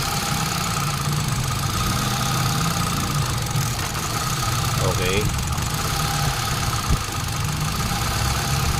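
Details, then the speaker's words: Hyundai Accent that still misfired despite a new ignition coil, tested after its ignition control unit (ICU) was repaired: steady, fairly even idle drone with no obvious stumbles; the misfire appears gone. "I-start natin muna, no? Tingnan natin kung ano, hindi na siya palyado."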